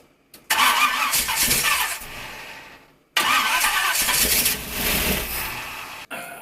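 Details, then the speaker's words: 1951 Dodge Wayfarer lead sled with big-block Chevy V8, sat a few years: two short crank-and-fire bursts dying within seconds on fuel poured from a gas can; no fuel in the sight glass, fuel starvation. "can't imagine there was actually fuel in that now there's no fuel in the sight glass here"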